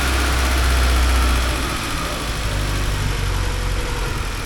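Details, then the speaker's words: 1979 Porsche 924 at a low, steady, even idle with no misses or knocks after idle, ear-set timing and warm-up regulator adjustments; best it has ever run. Normal idle. "so that's about the best I've ever heard this thing run and I think it's got just about right"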